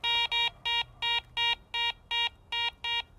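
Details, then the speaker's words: Garrett ACE 400 metal detector (10 kHz) over a gold ring: about ten identical mid-pitched beeps at roughly three a second, the mid tone given for target IDs from 33 to 75. "next for the mid tone I've got a gold ring mid tone is anything reading from 33 to 75"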